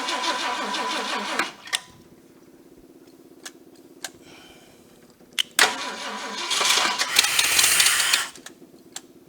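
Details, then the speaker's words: Cobbled-together Ford 390 V8 in project car, first start after reassembly with electric choke and a couple of accelerator pump shots: catches in loud bursts then lumpy uneven idle; massive vacuum leak at carburetor spacer, exhaust manifold leak also suspected. "give it a couple of shots of gas that little pumper's working great massive massive vacuum leak starter sounding rough"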